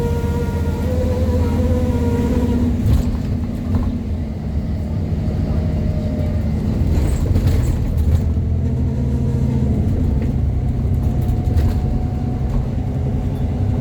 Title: 8908 making strange squealing noises as she climbs Forthill Road